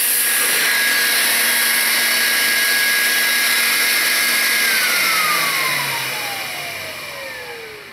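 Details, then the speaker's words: 2005 Chevy Trailblazer with code P0410, after a pump connector repair: a loud, steady secondary air pump whine with a rushing hiss, winding down at shutoff. The hose was not fully clipped in, so air escapes. Hose leak. "so I'm glad we didn't just call it a fix and put everything up together because that would have been leaking like a sieve appears it just wasn't clipped in all the way"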